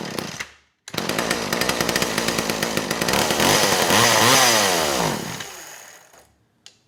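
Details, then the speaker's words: McCulloch Eager Beaver 2.0 chainsaw, two-stroke, no-start, primed through the plug hole: fires and revs raggedly for about four seconds, then dies; spark, timing and compression good, fuel starvation, later traced to a clogged filter screen. "good that told me a lot i know i got spark timing and compression fuel is obviously the issue so that carb does need to be gone through"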